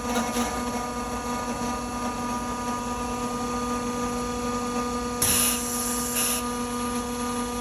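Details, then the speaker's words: Propane refuelling dispenser for a bus: steady electric pump hum with even tones, no knocks or surging, and a brief hiss; the pump runs normally and takes about 10–15 seconds before it is ready to fuel. "On entend l'activation de la pompe et il va se mettre à rouler. On attend à peu près, ça prend 10-15 secondes avant qu'il soit prêt à avitailler."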